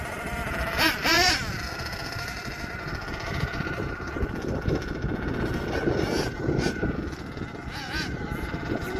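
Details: HPI Savage XL twin nitro truck with Twinzilla kit: two tiny nitro engines rev raggedly, one surging high before the other catches up; motor 2 out of sync, unmatched RPMs, before throttle linkage setting and tuning.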